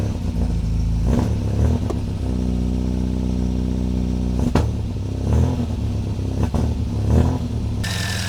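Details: Supercharged MGB four-cylinder with Weber DCOE carburettor and 123 Tune+ distributor, after timing curve changes; low, lumpy idle with uneven beat and throttle blips; owner suspects fuelling and timing still off, poor idle.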